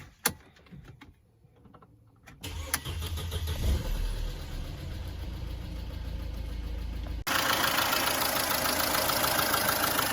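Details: Mercedes-Benz W212 with M271 engine, oil level full; after cranking, light fast even ticking about three a second from the top of the engine. Hydraulic lifter tick returned; coolant suspected of leaking into oil, stop-leak and oil additive just added.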